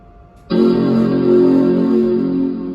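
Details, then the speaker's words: Power Mac G4 MDD rescued from recycling, powered on with original hardware: the startup chord sounds tinny and boxy with no bass and a buzz as it fades; the chime is normal but the internal speaker sounds poor. "Whoa, that was not a good sounding speaker in any way."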